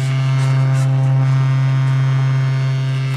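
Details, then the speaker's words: 1964 Leslie speaker from a Conn organ converted for guitar, fed a low test tone: loud buzz with a gritty rattle in the cabinet at low frequencies, fine at higher. "something is rattling in there, right at. Lower frequencies."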